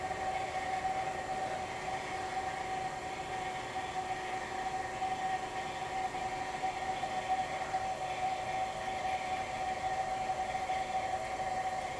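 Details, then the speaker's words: Old GE Monitor Top CK-2-C16 refrigerator compressor, running on three cans of R152A: steady, even mid-pitched hum, no knocks; evaporator getting cold, about 175 PSI high side, motor load dropping; normal run. "Evaporator's getting cold. Run at about 175 PSI on the high side. Notice the load on the motor is going down. That's encouraging."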